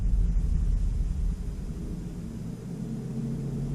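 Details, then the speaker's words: 2005 Chevy Corvette C6 with installed manual fan controller: steady low rumbling whoosh with no ticking, rubbing or wobble, radiator fans running smoothly on low speed. "there's the fans they just kicked on I don't know if you'll be able to hear that the launching off so there's the fans on it's a high back to stock now it's on low"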